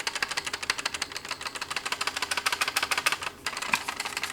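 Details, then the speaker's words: 2012 Ford F150 driver's door with panel removed: fast, dry plastic clattering, three or four bursts a second, from loose internal door parts being shaken; the same rattle heard over every bump when driving. "It kind of sounds like the internal parts are a little bit loose. Well, when I was messing with my door, I was shaking these parts, and then I started hearing some noise. And when I took this part off, this is the driver's side door, you can hear the rattling."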